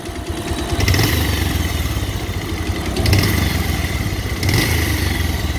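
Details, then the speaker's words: Bajaj Pulsar 150 single-cylinder at idle with throttle blips: a sudden "kat-kat" ticking clatter that began while riding around 90 km/h; owner suspects timing out or a stretched timing chain, tappet noise suspected, unconfirmed. "लेकिन आपने देखा इसमें एक अजीब सी आवाज़ आना शुरू हो गई है cut cut cut cut cut cut"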